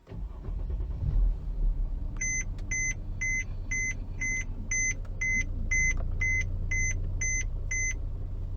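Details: Mercedes-Benz diesel after fuel filter replacement, started after the fuel pump was primed three times with ignition cycles: engine turns over and settles into an even idle while a chime beeps about twice a second; clean start, no misfire or stumble.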